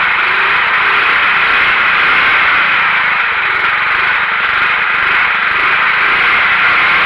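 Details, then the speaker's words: Simplicity Broadmoor 707 or 727 garden tractor, just restarted after no spark and possible flooding: steady high-pitched buzz with no dips or hunting, stuck near full throttle instead of idling; owner suspects governor return spring, wants to fix governor. "decided oh hey i think i'd rather fix my governor than let her run wide open just a troubled child we don't want that"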